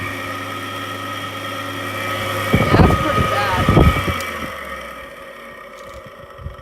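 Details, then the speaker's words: 2014 Frigidaire unit with a King Yang compressor, removed from its case and run on low fan: steady high whirring hum with a rough edge that winds down when switched off; the fan motor bearings are worn and have worsened since washing. "yeah that's pretty bad"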